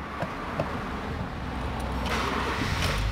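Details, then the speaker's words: 2008 Honda Fit 1.5 after a fuel filter replacement, started with the pump primed before final reassembly: the engine catches after a brief crank and settles into a low, steady idle with no stumble and no leak or fuel smell; the fuel pump works normally. "pegou bacana a bomba tá funcionando tudo ok"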